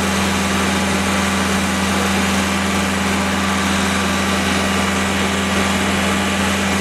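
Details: Freshly rebuilt Willys F134 engine (CJ3B) on break-in, coil powered from battery, shop fan running: smooth constant running with firm steady hum, no knocks or ticks; normal running.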